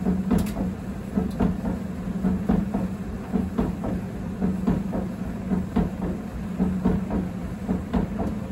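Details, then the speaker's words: 7 kg Candy heat pump tumble dryer whose damaged drum track had been patched with chemical metal. A steady motor hum with soft bumps about once a second: the two support wheels roll over two dents, the owner suspects with two bumps coinciding. "okay so you can hear that bump bump bump that's [Music] uh because there's two wheels and two dents and they're in the same places there's actually four bumps but the middle one's coinciding is what I think's happening"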